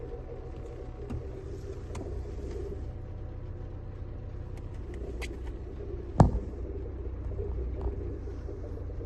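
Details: Renault Megane 2 1.6 16v petrol engine at cold idle after a clutch replacement, with a low uneven rumble and faint rattly ticks; the noise stops when the clutch is pressed and after a few miles once hot.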